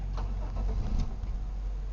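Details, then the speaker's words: 1997 Chevy Malibu, theft light blinking: engine catches for a few uneven beats then dies immediately even with light throttle; starts then stalls, anti-theft system suspected. "the theft light is now blinking and it won't restart if we try to restart it it'll do that and that's it that's all it does"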